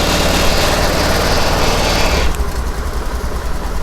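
Small single buzzes along at a steady idle for two seconds, then the sound falls away; the scooter idles normally after the restart.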